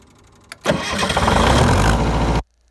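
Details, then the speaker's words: MEP-003A 10 kW air-cooled diesel military generator: short crank, catches at once, steady even run before shutdown, exhaust only a little puff; normal diesel start. "i wasn't expecting it to start that quick so we'll start we'll start it up again"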